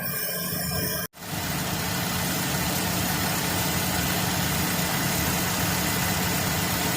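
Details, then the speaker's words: 2012 Chevy Cruze at idle with long-term fuel trim around 35; steady hiss over an uneven, lumpy beat about four per second, with trims returning to zero when the leak is covered by a finger: rough idle from a vacuum leak. "i'm gonna take my finger off you can hear the air it's coming back up going back the zero put my finger back over"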